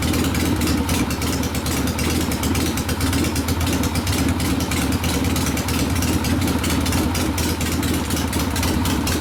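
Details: 1972 Harley Sportster XLCH Ironhead after case repair and engine rebuild (came in with kick starter unable to turn the locked motor): loud, lumpy V-twin idle with regular firing beat, no knock or rattle; normal idle.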